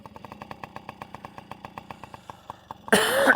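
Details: Yamaha PW50 two-stroke dirt bike, cold-blooded, just fired up and warming after its carburetor was stripped and blown out to remove a large chunk of debris: a light putter of about seven pops a second, slightly uneven while cold but steady, then a rev. It runs fine.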